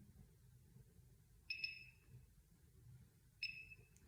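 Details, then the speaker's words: ClareBlend Mini microcurrent facial device: two short high beeps about two seconds apart in a quiet room, signalling the end of a treatment cycle on that area. "one beep you apply it to the skin two beeps it's the end of your cycle and you move on to the next your next area"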